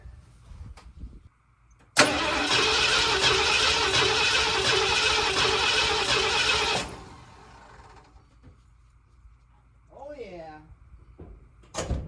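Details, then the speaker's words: 1979 Ford F250 sat possibly 6 to 23 years, just fitted with a new replacement starter: starter spins the V8 over briskly and evenly for about five seconds at steady cranking pace; normal cranking, starter working. "Now we are getting somewhere. Now we are getting somewhere."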